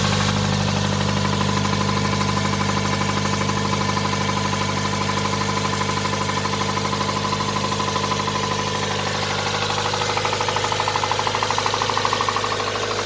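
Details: Nissan R'nessa engine, last run: hard regular knock over idle keeping time with engine, smoke from under a hose; spun bearings, rod knock, engine scrap.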